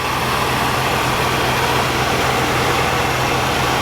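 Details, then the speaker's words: 1978 Oldsmobile Cutlass with HEI distributor, first start after sitting since 2005: an even, steady, smooth quiet idle with no ticking or knocking, as the lifter tick has quieted down. "up wow it Run's pretty nice the lifter TI quieted down it's really quiet it's very smooth"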